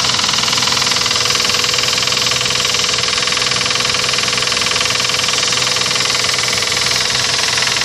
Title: Стук в двигателе 1gz